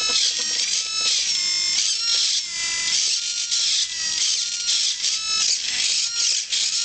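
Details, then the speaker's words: Blitz RC Works Rogue 500 RC helicopter after a crash, powered on with the transmitter: thin, high-pitched buzzing whine stepping and hunting in pitch from the rear servo, as if overdriven. Another servo doesn't move and a gear collar needs lowering. "want to see show you exactly what the servos do and you can hear this funny little noise it's almost like they're being overdriven that's that rear servo this one back here that you can hear"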